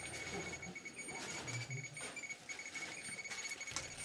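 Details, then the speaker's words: Chernobyl hospital basement full of highly contaminated clothing from the disaster's first days: detectors in alarm mode, fast irregular clicks under repeating high beeps; radiation detector alarm. "and this room is entirely full of contaminated clothing I was getting intense readings as you can hear lots and lots of counts all the devices I had with me are in aarm mode you can hear the beeps and clicks and everything"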